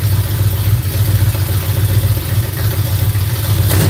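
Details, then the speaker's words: V8 engine at idle after cranking for oil pressure, with a light uneven clatter riding over a lumpy firing beat about four a second; owner suspects a bound-up rocker arm, noisy valvetrain ticking. "them rocker arms. One more time. Sound like I got one bound up."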